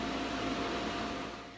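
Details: Omega high-pressure air compressor (Super Charger/Turbo Charger) during setup with water level checked: steady whooshing fan with faint constant motor hum, no rattles or grinding; fan and pump running normally.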